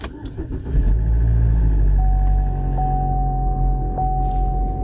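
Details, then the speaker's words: 2012 Chevy Equinox after engine install and in-car timing chain redo, code cleared: cranks, catches quickly, settles into a steady even low rumble, no rattles or stumbles; P0016/P0017 cam-crank correlation codes gone afterward, running normally. "seems to be running okay i'm gonna have to stop the recording so i can check the code see if there's any pending codes for cam craig correlation"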